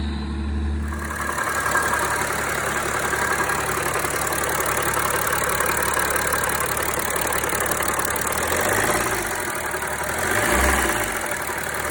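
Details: BMW 335d M57 diesel idling: quick uneven knock about three or four per second, first suspected injector then rod knock; cutting AC belt showed a failing AC compressor as cause.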